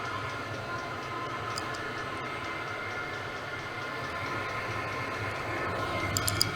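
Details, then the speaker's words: 8 kW Chinese diesel air heater heating a garage, warming up toward full temperature: even, steady combustion roar with a smooth fan hum and no misfire popping. Normal running. "now the old one is going fine now it's it's coming up the temperature"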